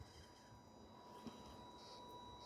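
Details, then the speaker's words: FMS Atlas 4x4 RC crawler, fully stock with 1040 ESC, driven on light throttle; faint steady high-pitched motor whine from non-adjustable pulse width modulation; normal ESC PWM whine. "You can hear the, I don't know if you'll be able to hear the whine of the motor. That's called pulse width modulation, and that's not something, as far as I know, that you can adjust on the 1040 ESC"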